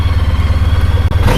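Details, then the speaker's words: Honda ST1300 long-range cruising motorcycle on the road: deep, smooth, evenly pulsing engine note with steady firing and no knocks or rattles; smooth up and down shifts, super smooth healthy motor. "sir man it sounds good I finally understand now what people are talking about these are super smooth machines super smooth crazy what a hell of a machine"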